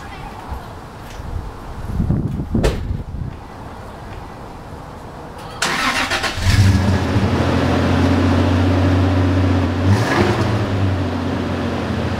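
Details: 1995 Toyota Tacoma 3.4L 4x4 after replacing the rusty exhaust and muffler: short crank, then a deep, steady, even idle with no rattles or puffing leaks; normal idle.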